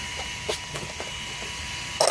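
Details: Losi DBXL-E V1 buggy with a Castle 2028 motor and Max5 ESC, which lost power with grinding and then wouldn't move: gritty, uneven clicks and creaks over a faint motor tone on the bench. Bad motor bearings, not the pinion as first thought.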